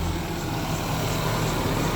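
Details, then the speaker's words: 1994 Ford Ranger 2.3L four-cylinder after hose replacement to fix rough idle and new starter: low, even rumble with no stumbles or misses; smooth, steady idle, problem solved. "all right moment of truth it's idling started that's good and it's idling totally"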